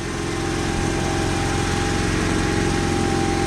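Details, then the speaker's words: 1995 Honda Accord at steady idle after an exhaust replacement; a raspy, hissing edge over the engine hum, suspected exhaust leak at the manifold, not confirmed. "still sounds like it has an exhaust like no it's like an exhaust leak right there somewhere sounds like a manifold has an exhaust leak now"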